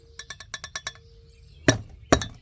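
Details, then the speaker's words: 1990 Nissan 240SX with an RB25DET, fuel system while swapping the fuel pump and filter for suspected fuel problems: quick run of sharp metallic clicks, about eight a second, then louder single clicks; owner suspects internal failure of the old filter. "och, wewnętrzna awaria, nie wydaje mi się, żeby to miało klikać jak ten"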